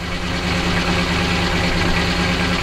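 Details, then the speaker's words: Detroit Diesel 12V92 in an ex-ARFF fire truck, warming up, heard from the back: deep, even rumble with a fast steady beat and no stray knocks at its normal idle speed; normal idle. "there you go this is this is about where it normally idles it doesn't sound quite so good there but it still sounds nice"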